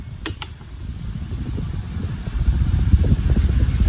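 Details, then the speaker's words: Induction cooker that won't heat properly, cooling fan running on high gear during repair testing: low whooshing rush of air building then holding steady and even; fan runs smoothly at high speed. "You can listen to the wind and you can tell the speed of it. Now it's up and running Listen to the wind speed."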